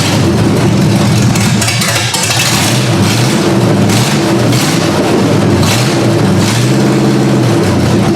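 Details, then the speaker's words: Ford Granada V8 after sitting, idle speed raised and mixture screws backed out: loud idle hunting up and down in pitch, never settling to an even beat; rough unstable idle, fuelling suspected, unconfirmed. "Alright, I got it to idle on its own. I bumped up the idle speed a bit and pulled out the mixture screws some."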